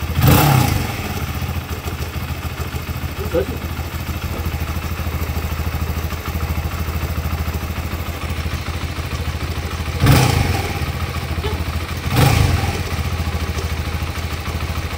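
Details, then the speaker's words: Modenas Z15GT single idling: loose, uneven light clatter with a few thumps, abnormal mechanical noise, source unknown. "Aku punya motosikal ni dah start buat masalah geng. Dia punya bunyi dia. Aku tak tahu bunyi datang pada mana."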